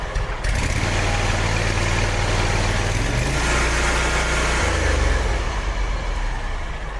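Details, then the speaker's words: Kawasaki FX850 twin on a Hustler X1 mower after valve adjustment for a rocker tick from loose valves: even, steady throb with brief speed change and no ticking; runs smoothly, normal idle. "I don't know if you can hear it or not, but it sounded a lot better."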